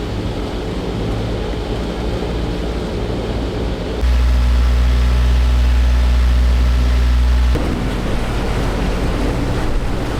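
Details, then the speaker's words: Sailboat diesel whose engine broke off its mount, motoring: steady deep drone with an even low throb about 3.5 beats per second and no vibration; earlier in-gear vibration possibly occurred only in overdrive prop pitch. "Sounds normal now. Maybe it was only when it was in overdrive."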